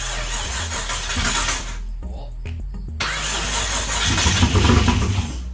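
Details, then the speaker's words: Chevy Blazer with header wrap, once fuel was supplied: cranks, stalls briefly, then catches and settles into a lumpy, steady V8 run that holds its speed. Owner expects it to run rich; it starts and runs fine. "that's running i told you it'd be no effort to get this thing to start all it needs is fuel and it's gonna run"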